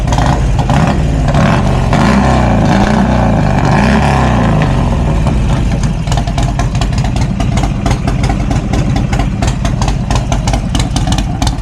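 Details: Cheap Harley-Davidson V-twin, just started after charging, having failed to start previously: deep loping idle, steady and full-bodied with no knocks, misses or rattles; engine running healthy.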